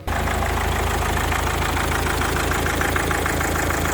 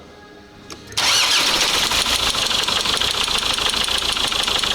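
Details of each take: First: 2004 Mazda 6 2.0 MZR-CD diesel after the replacement engine was installed, started before antifreeze was filled: even, steady, quiet diesel idle with no misses or hunting, judged running perfectly. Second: 2004 Mazda 6 2.0 MZR-CD diesel, original engine catches and runs busily with a sharp repetitive knock; cylinder 2 injector correction negative, valvetrain or injector suspected but valve cover showed nothing; engine proved knocked out and replaced; oil-pressure sensor wire found broken.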